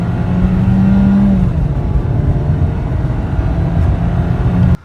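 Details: New rental VW Golf, 1.4 L 147 hp turbo inline-four, floored from a standstill in drive mode: strong, even engine drone climbs with speed, then eases at a shift; smooth healthy pull, no knocks or rattles.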